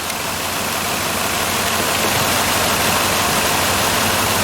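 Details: 2005 Ford Escape 3.0L idling with engine running while each coil's current ramp is checked with an amp clamp; repeating stumble nearly four beats a second under loud hiss; one cylinder dropping out because its coil is not firing, P0354, bad computer driver.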